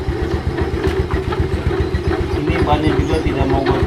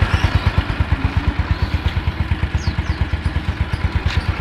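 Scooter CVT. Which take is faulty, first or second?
first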